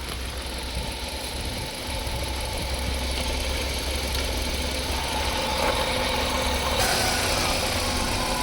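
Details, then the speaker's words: Used Hyundai Verna 1.6 SX VTVT petrol idling: steady, smooth low hum with no misses, knocks or puffing; seller calls the engine excellent, with no gas or oil coming out. "బండి engine sound వినండి friends చాలా smooth గా excellent గా ఉంటది బండి engine అయితే"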